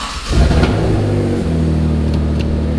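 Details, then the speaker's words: Mitsubishi 3000GT VR4 twin-turbo 6G72TT V6, first start after oil pump replacement and pre-primed oil pressure: catches and settles into a steady, even idle with no knocking or ticking; normal running. "Thing sounds great."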